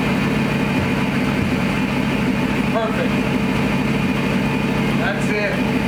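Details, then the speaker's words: Gen 3 Hemi V8 in a 1952 Dodge pickup, with exhaust fitted, started after the ECU relearned from a battery disconnect: deep, steady rumble at idle with an even beat and no knocks or misses; healthy, settled idle. "Sounds good. Just let that run a minute. It really sounds good."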